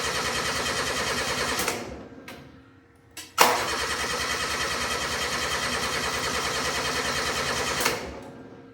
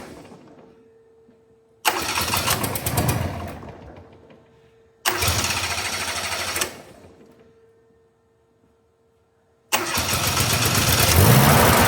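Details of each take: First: Steiner 230 tractor with Kubota gas engine, after battery charged at 40 amps: starter churns fast and even, stops, cranks again without catching; no spark; crank no start. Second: Steiner 230 with Kubota gas engine, after stalling (owner suspects air in fuel line): two short cranking bursts that die, then catches on third try and settles into steady, even run; normal start and run.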